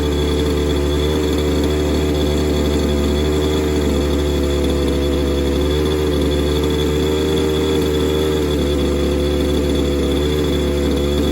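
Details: Falcon buggy two-stroke engine, revived and started with choke after fuel check: buzzes along at constant high speed, smooth and unbroken with no stumbles; running healthy.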